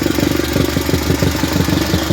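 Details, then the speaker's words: Car just swapped to a Weber carburetor with a Holley fuel pressure regulator, still misfiring slightly: fast, uneven, unmuffled chuffing at idle. Owner suspects an exhaust leak in the homemade straight-pipe system; unconfirmed. "pretty sure we got an exhaust leak kind of a homemade system a dude put on there it's been a little ghetto straight piping but it sounds like she's leaking down"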